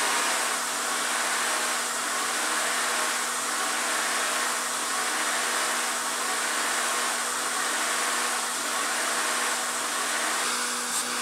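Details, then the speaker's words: Honda/Acura J-series V6 first started after a fuel pressure regulator replacement: a loud, even hiss over a quiet idle. This is a vacuum leak from a vacuum line to the intake manifold left disconnected. "why is it sound like that a that sounds like a vacuum leak so I obviously forgot to hook up something and I can see it right now"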